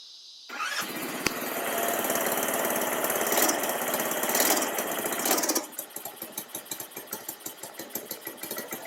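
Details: Baja Dune 150 buggy with a Chinese 150cc engine, parking brake on, idle turned up, tried again after it had died on gas; it catches, revs strongly, then settles to a regular idle of about four pops a second. Normal running.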